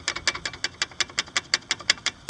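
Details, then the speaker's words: Chevy Astro brake pads about 3 weeks old rattling loose in the calipers on both sides: sharp tinny metal clicks, about five a second, wearing the pad shaft and cutouts. "I don't if you can hear this Rattle and it's on both sides same thing over there and that's all you hear is this like that as you drive it's very annoying"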